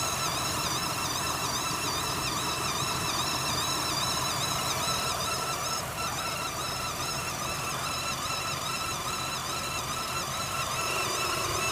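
A high, wavering whistle rises and falls about twice a second over a steady running hum; an abnormal whine with no clear source.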